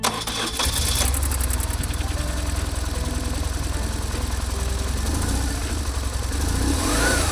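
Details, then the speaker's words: BMW R1150GSA twin after swapping the left cam chain tensioner for the updated version: cranks, catches and settles into a steady even run with no chain clatter; noise gone, though throttle body butterflies still rattle. "Fortunately, the noise just went away, so the repair was successful."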